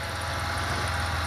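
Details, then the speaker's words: GM 3.1 (3100) V6 at warm idle, hood open: steady, even low hum with the cold-start piston slap gone; normal running once warmed up. "so pop hood here okay as you can hear the slapping sound is gone away so to who anybody who thinks that's a problem when they first start up their 3.1 right there"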